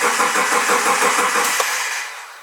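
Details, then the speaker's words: Subaru Forester unused four months, new battery, cold winter: starter cranks evenly about six turns a second and stops without firing; cranks but won't start because the ignition fuse was left out. "Interesting. I say I know cars, and then I do that. I forgot to put the ignition fuse back in."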